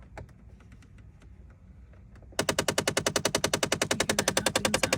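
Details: Jeep Compass: sudden rapid, even knocking, about three or four per second, behind the dash. Blend door actuator found cracked, with missing teeth on the wheel inside; fixed by replacing the actuator, reached by removing the panel under the steering wheel.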